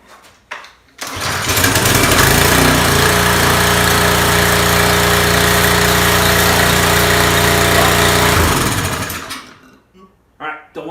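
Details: Discarded Craftsman 2700 psi pressure washer after the carburetor was cleaned and its needle reseated. The small engine fires and holds an even, steady beat of about four per second for several seconds, then shuts down cleanly.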